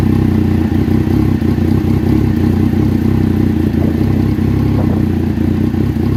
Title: Rough idle 1